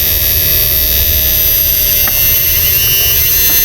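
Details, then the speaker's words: Repaired 68000W first-model inverter after capacitor replacement, 12 V input, 1K load: steady electrical buzz with constant high whine, no dropouts or surging; output healthy, though 2K later trips protection. "Bali, maganda na tunog niya, straight na. Lakasan natin."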